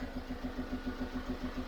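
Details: Chevrolet Tracker diesel idling with a steady lumpy puff about seven times a second, uneven beat; mechanic suspects a blown head gasket joining two cylinders, blowing heavily.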